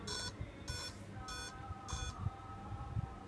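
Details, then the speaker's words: Dell Inspiron laptop at power-on giving four short evenly spaced beeps with no display: memory error code, fixed by cleaning and reseating the RAM in its slots after checking the CMOS battery. "there was four beep sound"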